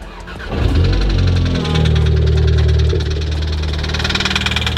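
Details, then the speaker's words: 2016 Volkswagen Golf R that blew up after 1,000 miles: engine catches and runs with a rough, rapid knock of about four per second; rod knock. "you're ever curious what rod knock sounds like, that's it."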